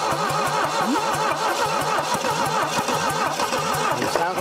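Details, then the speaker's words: A 1968 Saab 96 V4, sat over 40 years: slow, labored cranking at about four to five uneven beats a second, never firing. The engine turns over too slowly and has too little compression to start. "but we're just fighting it turning over too slow we're fighting just no compression at that point too"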